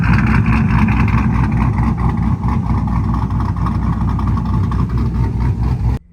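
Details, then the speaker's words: 2000 Silverado 5.3 Vortec LS with a Stage 3 cam and 92mm throttle body, after a new idle air control valve and idle relearn: steady low rumble just under 1000 rpm with no surging, then shut off. "That already seems better because the RPMs are right below the 1000."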